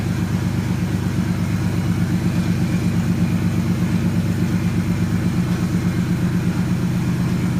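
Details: 1JZ-swapped Nissan S13 at first startup after a dead battery was dealt with; it settles into a steady, even low idle with a smooth regular pulse, no knocks or misses: normal idle.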